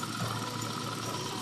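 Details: Honda Click 125i (Revolution version 1) scooter running after repair of a broken wire that stopped the battery charging: steady even idle, smooth exhaust beat, charging rising to about 13.3–13.4 V; engine healthy.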